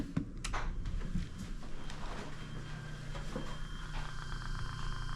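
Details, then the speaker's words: Two-pipe fan coil unit blower motor test-run on medium speed after fitting a new 5 microfarad capacitor: steady low hum with a smooth soft whir, no scraping or rattling; healthy. "All right, running medium speed."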